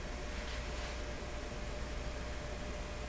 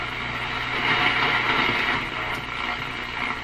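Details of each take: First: Nordmende Boheme C tube radio, heard about a foot away: only a very faint low steady hum under quiet hiss; normal, acceptable residual hum. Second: Nordmende Boheme C tube radio on shortwave band one near 3 MHz, volume turned way up: steady buzzy hiss with fast rattling crackle about four times a second; interference from overloaded LED shop lights, reduced by dimming them.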